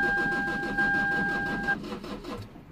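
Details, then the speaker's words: 2008 Lexus IS220d diesel, neglected, battery-drain car after alternator replacement, battery on charge: starter cranks with even pulses about six a second over a steady chime, never fires; crank no start, flat battery or similar suspected, not confirmed. "okay it didn't start okay because either the battery is flat or something along those mines"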